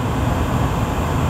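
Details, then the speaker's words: Gas-fired furnace with hot surface ignition, after inducer start, pressure switch click and igniter glow: gas valve clicks open and burners light into a smooth, steady low roar with no popping or flutter; normal burner operation. "now we're going to hear that click on the gas valve that gas is going to open up come on baby sleep there she goes"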